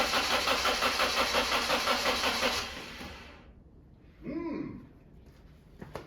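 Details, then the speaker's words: BMW E36 on its first start in 6 months after restoration: steady, even cranking near three turns a second for over two seconds, never fires. "that's not so good. Why is that not starting?"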